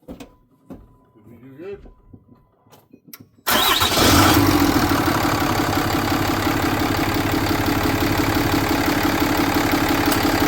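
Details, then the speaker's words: 6.7 diesel Dodge 3500 after a repair, fired up: cranks, catches at once and settles to an even steady idle; runs pretty good, no check engine lights. "Seems to run pretty good. Well, that was another successful repair on the old Dodge, I think."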